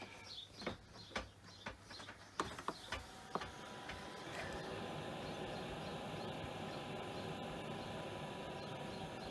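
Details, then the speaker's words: RV/caravan 12V diesel heater starting with newly replaced diesel dosing pump: pump ticks about twice a second, then fan settles to steady hum; pump working normally. "Right, it's ticking."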